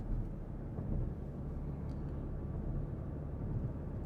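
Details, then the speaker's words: 2014 Porsche Cayenne after front differential replacement for a failed pinion bearing, coasting off throttle, heard from the interior: only low, even road rumble, no grinding or hum; drivetrain now healthy. "and no sound. It's exactly how it should be in the interior of a Porsche Cayenne. No grinding, no humming, no noise whatsoever."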